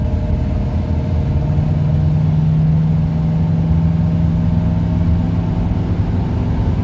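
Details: 1971 Ford Torino, rebuilt 302 V8 with C4 automatic, test drive after carburetor tuning with air cleaner refitted: smooth, steady deep drone pulling evenly under load, no pinging, rattles or misses. Runs good and smooth; carburetor might still need jetting changes.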